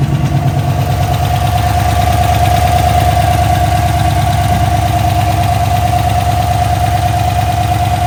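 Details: GMC Sierra 1500 5.3 L83 V8 first start after ZR1 Corvette cam swap, AFM/DOD deleted, new lifters and pushrods, untuned: even steady idle with mild rhythmic lope, no knocking or ticking; oil pressure and battery voltage good.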